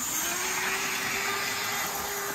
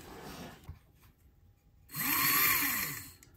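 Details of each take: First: Model steam locomotive, very low geared, running flat out at full speed: steady high motor whine with a tone near 400 Hz over loud hiss, yet it runs slowly. Motor suspected; a new motor is recommended. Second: Repaired classic model steam locomotive on test: quiet start, then a smooth whirring motor note rises and falls evenly over about a second; the motor runs cleanly.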